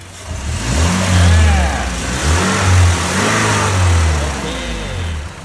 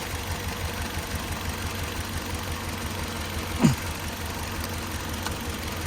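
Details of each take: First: Toyota van, 2.7 VVTi petrol with factory CNG, heard at the rear exhaust after replacing the ignition coil on petrol: clean revs rising and falling with no misses, replacing the earlier stumbling; normal running restored. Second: Toyota van, 2.7 VVT-i petrol with factory CNG, stumbling on both gas and petrol: at idle, pulling this ignition coil's plug brings only a brief click and no change in the faint stumble, so this coil is dead.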